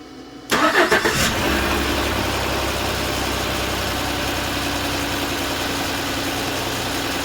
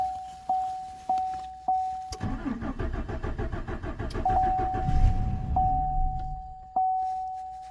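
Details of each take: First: 2014 Chevrolet Silverado 4.3 after crank-no-start: a couple gallons of gas added and it starts with a brief crank, then a smooth even idle; it had been out of fuel, gauge showing just under 1/4 tank, level sender suspected faulty. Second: 2014 Chevrolet Silverado 4.3, fuel pump recently replaced after external leak, gauge showing just under 1/4 tank: door chimes then about three seconds of steady cranking that never catches; crank no-start from empty tank, fuel level sender defective or inaccurate, runs after adding gas.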